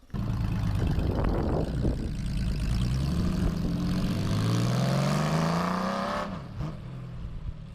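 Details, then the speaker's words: Small block Chevy V8 in a C3 Corvette, first start after valve adjustment and valve covers torqued to 36 in-lb: engine catches, rumbling beat, revs climbing steadily a few seconds then dropping back; running. "then we should be ready to start this and let it run for a minute see how it runs"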